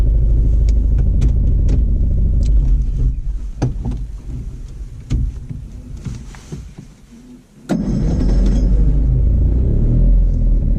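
Small two-stroke runs rough, dips and sputters with scattered sharp clicks, then picks back up; something's off, cause not clear.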